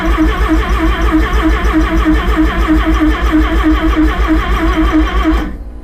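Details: Rotary-engined van's first start after rebuild: steady rhythmic cranking about three beats a second for five seconds, then it stops without catching; turns over but won't fire.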